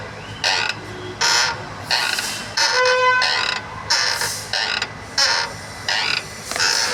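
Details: Renault Kwid: a creak repeating roughly once a second each time the clutch is worked; clutch wear or the release bearing is suspected, not confirmed.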